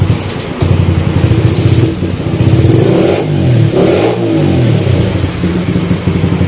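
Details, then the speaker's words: Honda Sonic 125 after a major service with new spark plug, bearings and oil and a repaired starter motor: it starts easily on a little choke and revs up and down cleanly. It idles without stalling and accelerates well. "ซึ่งเย็นดึงโชคนิดเดียวนะครับแล้วทีเดียวแล้วก็สามารถใช้งานได้เลยครับเบาไม่ดับทำเร่งดีสุดเสียงเสียงเลยครับ"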